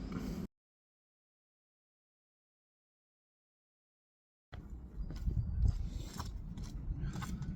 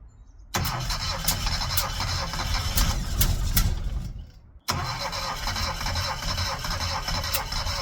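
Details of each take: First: Classic Mini on first start in 12 years, with low compression found earlier: after a short burst and pause, the small engine settles into a steady low run with no knocks or misses; sounds healthy. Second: Classic Mini, first start attempt after 12 years, with low compression found earlier: starter churns steadily in two long bursts, nearly catching but not firing; cranks but won't start.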